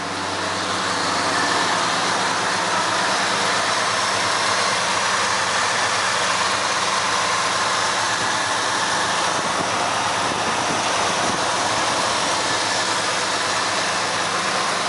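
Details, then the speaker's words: 1970 Ford Torino V8, well maintained by a single owner: steady, even idle with no misfiring, stuttering or hunting. A smooth-running engine. "you can hear the engine it sounds really good no misfiring no stuttering or anything like that it's a pretty smooth running engine"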